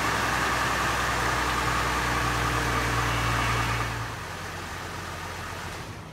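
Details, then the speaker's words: 2003 Chevy Trailblazer EXT, 4.2L six-cylinder, while bleeding power steering after a rack-and-pinion swap (the old rack's seal leaked out the fluid), truck not yet on the ground: steady high-pitched pump whine over idle that fades as the wheel stops, from air in the system. "under pressure there's not a whole lot of air bubbles down in there we'll do this a few more times until the power steering pump quits whining like my kids"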